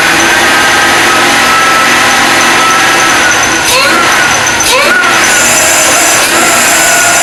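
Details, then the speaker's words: Supercharged LS1 Tonner, untuned first start-up, cold morning: a loud rough idle with a steady high accessory belt squeal that stopped instantly with WD-40; alignment suspected and the idler pulley bearing is to be checked. "Sounds pretty gnarly. Definitely squealing on this belt here. You can see I put that WD-40 just in front of that belt and it instantly stopped the squeak."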